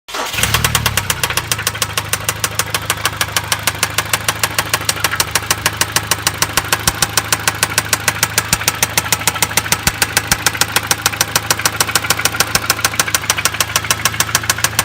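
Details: 2011 Hyundai ix35 2.0L petrol, 179,000 km, with new full-synthetic oil, a new filter and new spark plugs, starting and idling with a sharp steady metallic knock; it began at 80 km/h with power loss, and the owner suspects coils or injectors.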